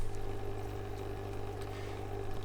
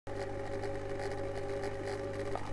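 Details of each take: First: Eheim Classic 600 external canister filter after fixing a rattle by lubricating the impeller: steady low electric hum with a faint tone above it, no rattle, normal canister filter sound. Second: Eheim Classic 600 external canister filter: steady motor hum with a buzzy, chattering rattle from the impeller and shaft running dry, impeller rattle from lack of lubrication.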